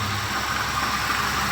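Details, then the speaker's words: Toyota Wish, engine idling, hood open: rough, steady growl over an even idle, no knock, coming from the AC compressor; others suspected the alternator, worn pulley bearing. "terdengar kasar ya temen-temen itu yang itu dari kompresor teman-teman"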